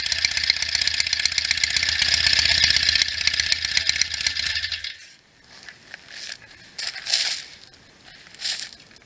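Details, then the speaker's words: 1967 BSA A65 Hornet 650 twin after a full engine rebuild (new pistons, rings, bores, valves, guides, electronic ignition), after sitting 43 years; warm day, only a few minutes' run time. Crisp, even idle with no misses, then shut off; starts easily, no issues heard. "so far this bike has been super easy to start sounds real good I don't hear any issues at all"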